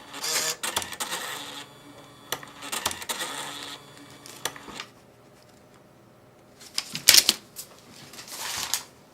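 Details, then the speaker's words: Catalina 7 coupon printer resetting after a paper jam is cleared: square reset button held five seconds until power light flashes; short bursts of rattly mechanical clatter with quiet pauses, feed and head cycling through a normal reset. "hold the button for five seconds or until the power start splashing off and on and the printer will reset"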